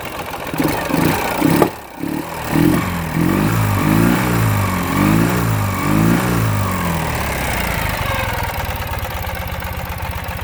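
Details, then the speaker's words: 2009 Ural Sahara Limited Edition 2WD sidecar motorcycle, under 9,000 km, twin not fully up to operating temperature, revved: lumpy blips with an occasional sharp exhaust pop; slight lean condition backfire while cold, nothing to be concerned with. "a little bit of a backfire it's just a little bit of a lean condition it's not completely up to operating temperature uh nothing to be concerned with it's the way they are"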